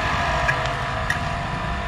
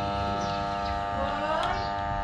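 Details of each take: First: 220 V, 200 W electric water pump after its failed start capacitor was replaced with a same-size new one. It has a steady, even motor hum at constant pitch with no groaning or stalling and turns freely: normal running. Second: Rarely used 220 V electric water pump powered but not rotating, the impeller having no strength. It gives a steady hum with no spin-up sound. The cause was a failed 10 µF start capacitor, which was replaced.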